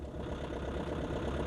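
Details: Old Nissan Navara diesel pickup, 197,736 miles: low steady diesel clatter at idle with even beat and no knocks or odd noises; sounds like a healthy strong old diesel.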